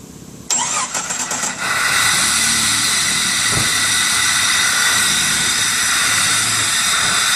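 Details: Jeep Cherokee Sport 4.0, automatic, 2WD, listed with a bad fuel pump: a few quick cranking beats, then it catches and settles into a steady, hissy idle.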